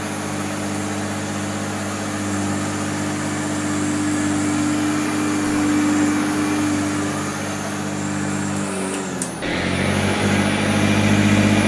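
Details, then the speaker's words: Goblin (BVC) 10283 EaseElec upright vacuum, picking up sawdust on carpet: steady even motor hum with brief shift over carpet; runs smoothly, agitation strong, performs well. "it's more surprising than i thought better than i filmed yeah much better you could hear it pounded the carpet you could see it doing stuff"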